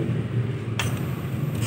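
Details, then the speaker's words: Kawasaki RS200 fuel pump priming after fixing accessory wire voltage that dropped off on key-on (dealer blamed the pump): strong steady low hum with a click partway; pump primes at full strength and healthy. "Ayan pakinggan nyo yung tunog ng fuel pump. Ang lakas, di ba?"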